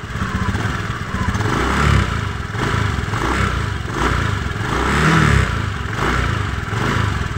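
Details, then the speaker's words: Honda Beat FI v2 scooter with the CVT cover off, revved in short pulses, loose metallic clatter rising with each blip; crankcase bearing confirmed faulty, its loose ring letting the drive shaft wobble and vibrate; CVT rattle from loose crankcase bearing. "maingay Crank Cas nga to oh magr dito sira yung ano Crank case confirm Crank case yung sira"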